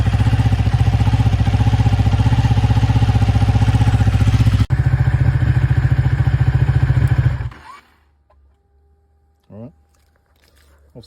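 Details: Ducati 1199 Panigale after fixing corroded starter solenoid terminals that caused cold cranking struggles: lumpy, even V-twin beat at steady idle, regular firing pulses with no misses, then shut off cleanly.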